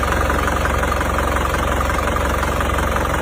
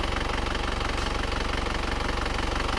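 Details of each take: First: Isuzu Panther Grand Touring Euro 2 diesel with heavy oil consumption, idling: steady loud clatter with rough puffing about 2–3 times/s; smoke even cold, thicker hot, spurting from dipstick tube: compression leaking into crankcase, heavy blow-by. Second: Isuzu Panther Grand Touring Euro 2 diesel after repair for oil burning and blow-by, warm at 79 °C after a 7 km drive, idling smoothly and evenly with a steady low thrum, light regular clatter and minimal vibration; normal diesel idle.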